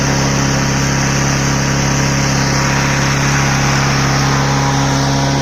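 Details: Troy-Bilt TB110 mower with 140cc Briggs & Stratton engine, after carburetor cleaning for a start-then-die problem: steady, even single-cylinder beat with no misses or surging, running cleanly at constant speed.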